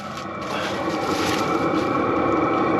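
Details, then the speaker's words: Cheap Amazon 27,000 BTU Chinese diesel heater, heard outside the barn at the muffled exhaust once warmed up: steady soft rushing note with faint quick patter, quiet enough neighbors wouldn't hear; normal exhaust noise. "that's about the noise it makes though that's pretty quiet if you got neighbors you wouldn't hear that"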